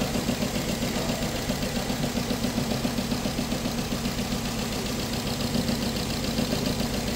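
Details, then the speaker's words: 2007 Nissan Tiida/Versa petrol engine with code P0300 and an injector getting no pulse: uneven, lumpy rough idle from a dead cylinder, persisting after new coil, spark plugs and injectors. "इसमें कोई cylinder काम नहीं कर रहा। इस तरीके से देखिए इसमें साउंड आ रही है"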